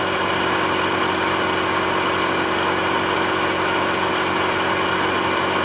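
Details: Toyota Starlet engine at steady, even idle with a smooth hum; no slapping, ticking or belt squeal. Timing belt inspected for wobble and play, stays centred and judged still safe.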